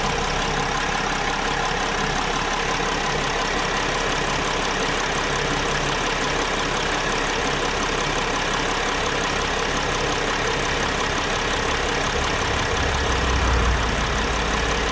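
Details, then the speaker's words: 2010 Mercedes Sprinter diesel with an oil cooler seal leak, idling before warm-up: steady, even low rumble with no clear misses or knocks, though a slight ticking is noted on one side. "guys as far as the way it's running it sounds okay to me"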